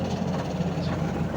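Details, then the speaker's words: Astro spin dryer loaded with clothes, rear cover off, owner reports noise underneath while spinning. An uneven buzzing rattle over the low drum hum, traced to a loose spring spinning under the base. "Ayon tingan natin sa ilalim. Maingay daw eh. Ayun maingay nga."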